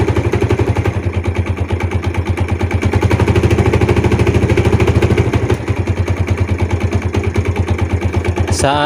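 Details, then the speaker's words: Yamaha Jupiter Z / Vega R New motorcycle, right side, kick-started, also smoking: a rapid hard knock, roughly three a second, likened to a connecting-rod knock. It is loudest at idle and lessens but persists when revved. Cause suspected, not confirmed. "Oke teman-teman jadi itu tadi ya suaranya dia ada ketukan itu keras banget teman-teman ya saat Dikas juga agak berkurang cuma tetap aja bunyi ya"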